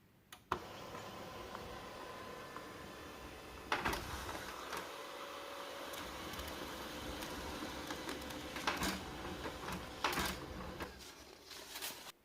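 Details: HP LaserJet Pro P1102w printing a test page just after installing a new replacement toner cartridge; even whir of feed and fuser with clean paper-handling clicks at start and end, printing normally.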